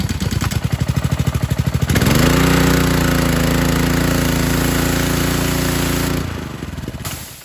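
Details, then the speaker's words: Ryobi 2015 pressure washer (Honda GCV190) with idle-down: engine runs at speed, then on trigger release drops and stalls instead of idling; idle-down cable suspected rusted, fixed by cable adjustment and lubrication. "so this is actually the idle down and what will happen is if i release the trigger uh it'll just go all the way and shut off"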